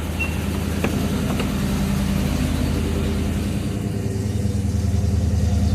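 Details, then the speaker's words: 5.0 V8 first startup after a new timing kit, alternator off, no water pump or fans fitted, valves unchecked: steady, deep rumble at an even fast idle with no knocks or misses, a little blue smoke; running smoothly. "little little blue smoke I think that's from when it was running rough yeah but hell yeah quiet quiet Qui Qui see it's running just on the uh straight motor all good for here"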